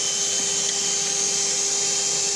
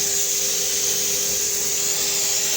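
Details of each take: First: Vacuum-driven 1950s RAF Jet Provost artificial horizon (attitude indicator), test after rebuild and fixing weight distribution: steady high gyro whine with a faint rough rolling undertone. Worn rotor bearing with missing balls. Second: 1950s RAF Jet Provost vacuum-operated attitude indicator after strip and rebuild: steady mid-pitched gyro rotor whine over loud rushing-air hiss.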